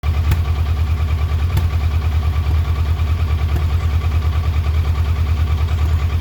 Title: Trophy 1200 rough idle